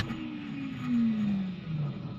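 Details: 2002 Pontiac Trans Am WS6 with MSD starter, key on, start attempt: light whirring zing sliding down in pitch with no cranking; starter spins without pinion engaging, later traced to a failed retaining clip on the pinion gear.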